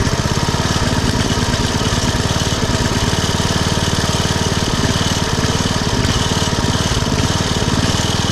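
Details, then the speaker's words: Poulan/Weed Eater VIP garden tiller with 5 HP Briggs & Stratton single-cylinder, 15+ years old and unused over a year, warming up before tune-up: steady rapid thump with speed drifting up and down in gentle surges; idle surging, later cured by the tune-up including a minor carburetor mixture-screw adjustment. "it kind of does this revving up and down a bit let's see if the tuneup will help it"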